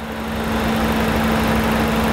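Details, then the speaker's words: Overheating Chrysler PT Cruiser with prior front-end wreck and radiator work, recorded under the hood at the radiator fan: the fan spins up to full blast with an even roar and no rubbing. The fan works normally, but the air it pulls is cool, so overheating is unresolved. "well I just figured one thing out the fans just kicked in full blast you can hear when I put my hand behind the radiator fan pulling like that"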